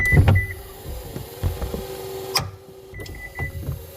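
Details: 2015 Subaru power liftgate: warning beeps and motor hum broken by sharp, irregular clicks as the hatch lifts partway, stops and closes again; sound suspected from the motor, sprocket area or prop rod, not confirmed.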